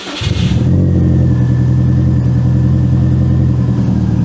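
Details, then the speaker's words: 2002 Subaru WRX with built 2.6 L stroker (2.5 L block, 2.0 L heads) and JDM 6-speed, started cold after four years stored with old fuel, fires right away and settles to a smooth idle. Normal start. "Fired right away."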